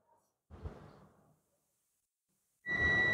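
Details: Proton Viva with persistent check-engine light, original oxygen sensor's heater coil tested with a multimeter in continuity mode: after handling, a steady high beep comes on and holds, so the heater coil is intact.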